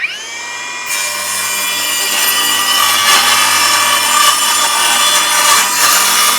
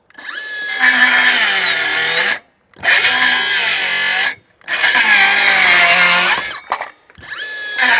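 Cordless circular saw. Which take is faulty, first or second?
second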